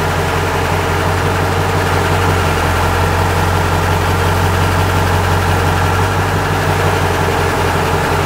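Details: Truck engine at steady low idle with a faint, uneven rhythmic beat underneath, about three per second; a weird engine noise of unclear cause.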